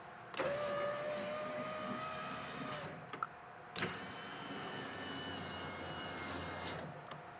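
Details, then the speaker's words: Honda Element power window after repair and glass reinstalled on its bracket: smooth even motor whine for about three seconds, soft stop, no grinding or clicking; window fully operational. "a fully operational window. Yay!"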